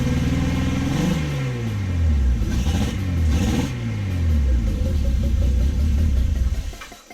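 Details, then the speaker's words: Car with newly installed mock-up exhaust: revs rise and fall smoothly several times then settle, even note with no rattles, blowing or misfires; sounds much smoother and healthy. "so dill right it sounds so much smoother it's actually moving and it's idle sounds nicer everything just sounds like man nice"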